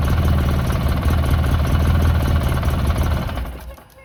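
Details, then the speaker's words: 2009 Polaris RZR 800, parked about 5 years: rough, uneven chugging at about three to four beats per second fading out; engine stalls every time throttle is given. "Every time I give it gas, it just turns off."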